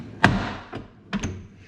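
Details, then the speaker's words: Toyota FJ Cruiser rear door closing: hollow thunk followed by a short loose rattle on each shut, present since purchase; cause was loose nuts in the door, and tightening them stopped the noise. "so for the longest time my rear doors whenever i would open and close them actually just close i think they would make this noise like that"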